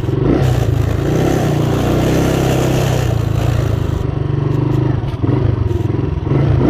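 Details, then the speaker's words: Motorcycle on road test after leaving shop: low flat drone that won't climb with throttle, engine chokes and won't rev, as if carburetor choke were on though it isn't; customer reports bogging and stalling around 6000–7000 rpm. "salimos del taller funcionó bien llegamos a la vía principal y aceleramos un poquito y resulta que se comienza a ahogar se comienza a ahogar y no revoluciona la moto no camina"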